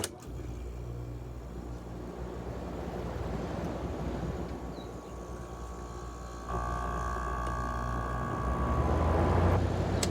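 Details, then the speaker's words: AEL05LVL1 window air conditioner starting on low cool. A quiet hum from the very silent compressor joins the fan rush about halfway in and holds steady, with no rattles or knocks. Normal compressor running. "The compressor on this, trust me, is really silent. You can't even hear it."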